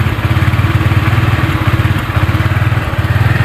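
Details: Honda Vario 125 with delayed, stumbling throttle response, running on its original injector: idle pulses but swells and dips unevenly, hunting instead of holding steady; spraying fuel via the air filter helps, so the injector is judged too small or clogged.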